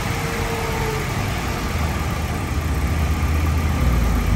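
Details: Honda City at 100,000 km, idling in the workshop after its broken gearbox was removed and repaired: steady low, even idle with no knocks or slipping noises; healthy at rest.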